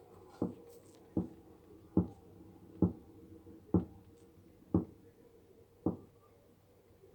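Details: Electrolux washing machine only two months old: dull, regular thumps about once a second over a quiet hum, a strange repeating knock of unknown origin that Electrolux service called normal but the owner doubts.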